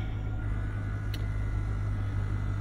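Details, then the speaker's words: 2007 Chevy Tahoe V8, almost 200,000 miles, after replacing a misfiring spark plug, check engine light now off: low steady rumble without stumbles or skipped beats; idling evenly, slightly better than before. "does seem to be idling a little bit better and it wasn't bad I mean things got almost 200,000 miles on it so I don't think was that bad anyway"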